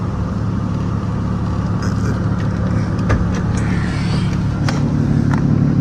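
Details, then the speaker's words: 1998 Lexus GS300 after AC compressor replacement, AC blowing cold after a drive, hood open, clutch engaged and engine revved: smooth idle and steady low hum with no compressor whine. Operating normally. "Compressor clutch is on, everything is good. So rev it up real quick. I don't hear the whining sound, so nah, not this again, boy."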